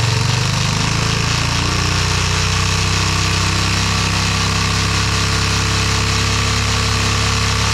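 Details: Yamaha motorcycle engine first fired up with a brand-new carburetor installed; catches and settles into a steady, rough, fast-firing run with a heavy low rumble, and keeps running.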